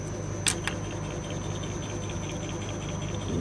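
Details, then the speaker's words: Mercedes with a rear knock that remained after many suspension parts were replaced, tested on a vibration shaker stand with microphones: two sharp knocks about a fifth of a second apart over the shaker hum; worn rear shock absorber bushing. "Ядам Mercedes с проблемой стука сзади никто нигде не может выявить. Перебрал всю ходовую."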